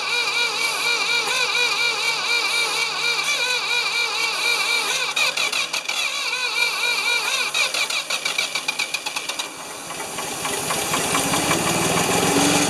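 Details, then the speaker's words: Free Ford 2600 tractor, choked, on a little gas, with plugs 1 and 2 new and plug 3 old. It runs unevenly and falters without settling, seemingly flooding with too much fuel. Puffing from the intake makes the owner worry the number one intake valve stuck again. "hmm why is it not one to run well i pulled uh a little puffing out of the intake i was worried the intake that number one intake valve stuck again"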